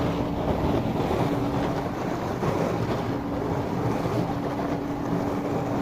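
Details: Miele dishwasher after repair, running its cycle: constant smooth hum with a steady mid tone and rushing water, no grinding or rattles; normal wash cycle.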